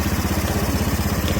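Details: Honda Beat/Scoopy FI scooter idles with a steady, even low thrum and no starter grind or whine. This follows greasing the dry starter (dynamo) shaft and oiling its bearing, which cured the strange starter noise.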